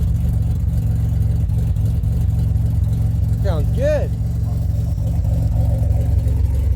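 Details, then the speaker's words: 2007 Pontiac Grand Prix started after ICM and harness replacement: engine settles into an even, steady low idle with no misfire stumble or knock, running much better than before. "foreign much better than it did"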